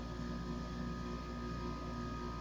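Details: 23-year-old Whirlpool 5000 BTU window air conditioner ACM052XH1 (6 A, 625 W, made 4/1999) in fan-only mode: steady, even fan drone with low hum underneath, no knocks or rattles; fan runs normally.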